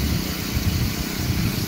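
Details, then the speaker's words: Honda GX35 brushcutter engine on a water pump, in for a no-start, after carburetor repair and idle adjustment: runs smooth and even at high speed with a steady low buzz, no misses or surging; healthy running. "Điều quan trọng là phải đảm bảo rằng động cơ chạy tốt ở tốc độ cao. Tốc độ quay cao cũng rất mượt"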